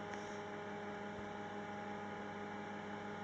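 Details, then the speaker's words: Hantarex color vector arcade monitor under repair, power transformer connected with only the AC fan plugged in: loud, steady hum at constant pitch with no rattle or scraping; fan starts and runs normally. "So I can check if the fan alone is at least starting fine. And yes, I can hear the fun [Music] starting."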